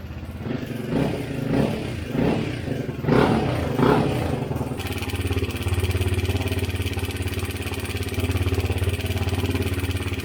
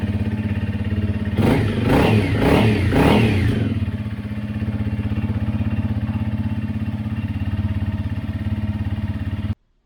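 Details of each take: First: 2017 Honda CRF250L before repair: a few throttle blips, then a steady idle with a light metallic rattle on top; cam chain and gears had a lot of play, cam chain tensioner replaced; cam chain tensioner rattle. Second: 2017 Honda CRF250L after new cam chain tensioner fitted and oil changed: a few quick throttle blips, then a steady single-cylinder thump settling into an even idle with no ticking or chain rattle; noise gone, healthy normal idle.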